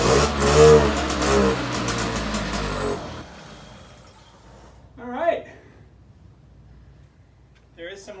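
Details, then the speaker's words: 1979 Motobecane garage-find moped, pedal-started on starting spray: ragged two-stroke popping for about three seconds, then it dies; fires briefly but won't keep running. "That was it. It was running for a second."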